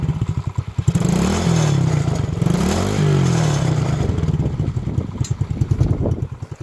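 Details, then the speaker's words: Coolster 110cc kids/youth ATV started through a dedicated solenoid trip: small single thumps at a steady, even idle, revving up smoothly and settling back to the same clean beat; normal idle. "So no issues there. It idles really well. It sounds good."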